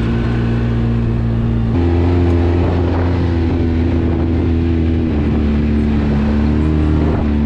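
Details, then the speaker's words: Polaris RZR 800 after rod bearing replacement, test ride: steady engine drone stepping cleanly between speeds, no knocking or rattles; bottom end sounds healthy, runs great. "we went to took it out for a ride and it runs great and it's super awesome my wife liked it too"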